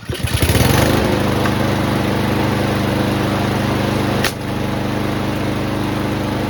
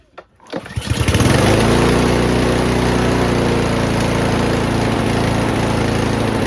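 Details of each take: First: Troy-Bilt TB240 push mower with Honda engine after carburetor replacement, previously over-revving: steady, even single-cylinder drone holding one speed without surging; the governor now controls it properly, normal running. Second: Troy-Bilt TB240 push mower with a Honda engine, after a new carburetor and fuel line, with the governor linkage and spring left unconnected: catches after a few pulls, then holds a hard, high, steady buzz; over-revving from the missing governor linkage.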